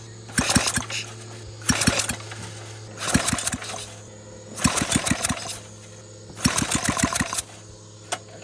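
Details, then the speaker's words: Flathead Briggs engine on a minibike, recoil pull-start with throttle and choke, fuel bowl primed: five pull attempts, each a short burst of sharp pops then quiet; intermittent firing, won't stay running. "like a firing right there as far as it goes"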